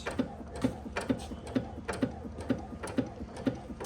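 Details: 5 HP Sattley hit-and-miss engine after fixes, set on rubber furniture-slider pads: soft, even ticks about twice a second with almost no clatter between them; the engine now runs slow, smooth and quiet.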